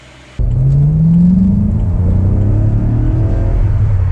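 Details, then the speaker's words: BMW E92 M3 with S65 engine, back on the road after nine months in limp mode, following replacement of a holed exhaust manifold (header): engine note climbs smoothly under acceleration with a clean, even exhaust and no ticking or puffing; healthy pull. "9 months and it's finally fixed. Oh my god. Yes. Let's go. 9 months of no M3 and we are back. Listen to it. So good. So good."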